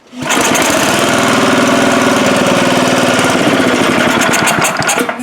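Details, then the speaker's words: Gravely power brush sweeper, unrun for 10 years, fed only a spot of gas poured in: the small single fires and clatters evenly about five seconds, then stumbles and dies. It has spark; a clogged carburetor bowl is suspected and the carburetor needs cleaning. "Okay, so it ran on the gas you dumped in it and then it quit. So you know what that tells me? Bowl is probably clogged with stuff."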